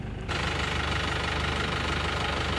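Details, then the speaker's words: Isuzu Panther Touring New diesel idling after engine repair (piston rings, head gasket, seals, valve seals, clutch replaced): the earlier rough, limping tak-tak knock and shake are gone, leaving a steady, even clatter. Healthy idle. "Sudah tidak suara tak-tak ya. Suara mesinnya seperti ini."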